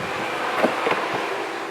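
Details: Powersports side-by-side after a test drive, engine off and key on in the shop: radiator cooling fan gives a steady even whoosh with no rattle or rub; cooling fan running normally.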